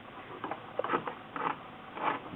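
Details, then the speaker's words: A Singer 6412 Millennium Series sewing machine is turned slowly by hand. Short scraping grinds about twice a second come from a loose screw inside its right side. "hear that grinding. shouldn't sound like that. So, that means there's something going wrong in there."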